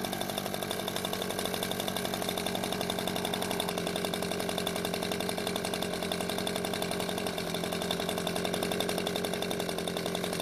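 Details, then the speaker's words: Echo two-stroke leaf blower that would not start after storage, after repair of its fuel-leaking carburetor: a steady, fast, even buzz with no surging or stumbling. It runs properly, with no leak. "it seems to be running just fine now and after letting it sit for a few hours there wasn't any fuel leaking from the carburetor"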